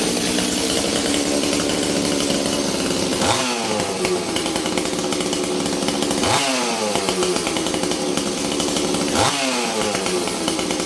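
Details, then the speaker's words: 026 two-stroke chainsaw rebuilt: full-throttle screams then returns to idle the same way each time, no hunting or leaning, indicating no air leak. "You hear it? It comes down to idle the same way every time. That's a good sign. That's a sign I don't have an air leak."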